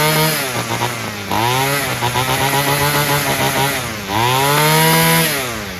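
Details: Free Homelite string trimmer, two-stroke, fixed by adjusting the carburetor mixture and idle screws (carb not cleaned), revved up: screams cleanly to full revs and holds, dropping back and climbing again without bog or stumble, running properly.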